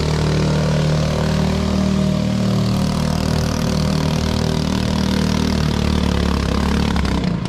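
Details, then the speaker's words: 212cc 6.5hp Honda-clone four-stroke driving homemade jet unit on boat: loud drone with uneven faltering pulses, engine spluttering and labouring, wouldn't plane and revved out; owner considers engine worn out and gearing needing chain and sprocket. "maybe a newer motor because as you can hear on that one i was spluttering and carrying on it's it's just done it's done"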